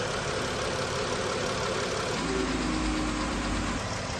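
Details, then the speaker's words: Dodge/Chrysler minivan 3.6 Pentastar V6 idling after replacing front-bank rocker arms/lifters: even hum and normal valvetrain whir, the earlier front-bank ticking gone. "pretty good there's a normal engine noise there but that problem ticking it's gone so it went well"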